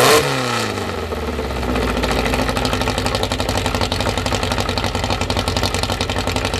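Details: Newly assembled 2054 engine (Fusca) fires on its first start with fuelled carburetors and settles to an even fast idle near 1200 rpm, kept high so parts seat in; faint gear whir; healthy.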